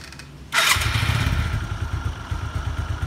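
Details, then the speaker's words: Suzuki Skywave 125 scooter: quick start then steady even idle with regular low pulses, crisp and no knocks; healthy engine, normal start and idle. "teman-teman dengerin dengan sesama bunyi mesinnya masih terkesan garing dan Langsa menyapu normal segini"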